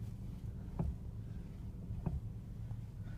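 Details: BMW E60: a few dull single clunks about a second apart each time the steering wheel is turned, heard in a quiet cabin; cause unknown.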